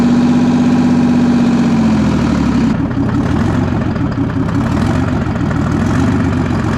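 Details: Clark forklift's diesel (a two-stroke) running after sitting for years, with 30 psi oil pressure on a gauge; steady, even idle with a gruff, fast two-stroke beat and no knocks or misses, running healthy.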